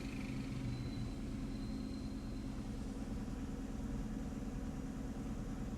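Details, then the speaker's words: 2015 Chevy Camaro with codes P0206 and P0300, during a cylinder power balance test: with cylinder 1 disabled on top of the already-dead cylinder 6, the idle becomes low, uneven and stumbling at about two pulses a second. "yo aquí selecciono fíjense si yo agarro el uno actualmente seleccionado yo lo deshabilito y automáticamente"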